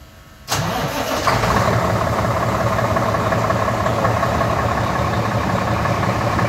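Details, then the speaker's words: Diesel vehicle's first start after about four weeks unused during corona self-isolation: engine catches instantly and settles into steady, even diesel idle without stumbling. Normal start. "So, der erste Start nach Josie, von Josie nach 4 Wochen oder ein bisschen länger sogar."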